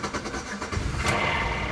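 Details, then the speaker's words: 2001 Oldsmobile Alero with a new battery and an intermittent no-crank: usually lights and chimes come on but turning the key does nothing; here the starter briefly churns and it catches into a rough idle. Cause unknown. "when I put the key in to start it the lights will come on ding all that and then nothing turn the key nothing just beeps again"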